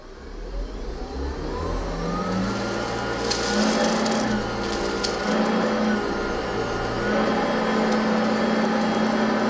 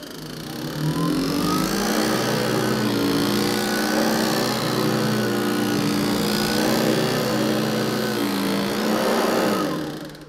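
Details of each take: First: Hoover ONEPWR HEPA+ cordless upright vacuum (BH55500PC) on high setting, recorded with a studio microphone; steady high motor whine and even airflow rush, normal running. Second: Hoover ONEPWR HEPA+ cordless upright vacuum (BH55500PC): steady motor whine with fast uneven clatter about three hits a second, brush roll bristles slapping the metal bars; known issue fixable with basic tools.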